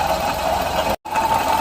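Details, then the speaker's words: Suzuki Alto 800 at idle, stethoscope on water pump: steady high whine over engine hum. Worn water pump bearing, confirmed when removing the alternator/water pump belt silenced it; pump replaced with genuine Suzuki part. "Ayan yung ingay. Water pump. Okay. So, dito, para makasiguro tayo, may suspect na tayo, water pump."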